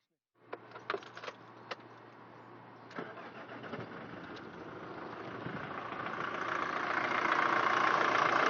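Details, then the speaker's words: 2006 Nissan X-Trail 2.2L diesel, cold start before adding oil additive: a few cranking clatters, then catches into steady diesel idle, slightly shaky/lumpy while cold, which is normal. "so now you can hear how the Moodle runs it's a little bit shaky but it's normal because it's not where it's here"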